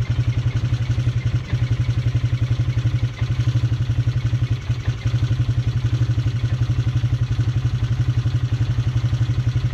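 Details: Polaris Sportsman 300 single-cylinder idle after the spark plug was pulled: a loud, steady tapping clatter from the top end at roughly four beats a second. It remains despite the timing chain and valves being adjusted; cause undetermined.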